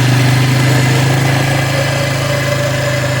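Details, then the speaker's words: 1996 Polaris Marauder 425 4x4, liquid-cooled four-stroke single, neglected and recently bought: uneven, lumpy idle near four beats a second with droning vibration; running rough, cause suspected but unconfirmed. "Yeah, you can hear it. Something is not right."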